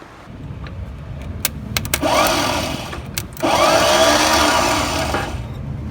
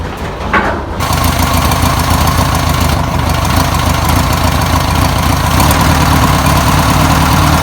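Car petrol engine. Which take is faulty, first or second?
first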